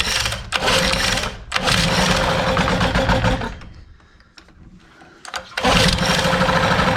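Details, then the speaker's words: 1988 Johnson 9.9 outboard (actually 15 hp) that died on the water, choked with fuel pouring out of it; two long rough pull-start bursts turn it over but it never catches, flooded. "why is there fuel pouring out of it i still got fuel down here that's bullcrap [Applause] not sure what's going on with that now she ain't gonna run she's"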